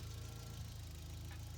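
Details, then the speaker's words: Toyota 22R-TE turbo pickup with Haltech, idle after adjusting the idle speed screw to fix a rough idle. The screw now has enough adjustment range. Low, even, smooth idle rumble with no knocks or misses. Normal idle, a lot better than before. "It's still, that's a lot better than it was, because I was having some issues with that before."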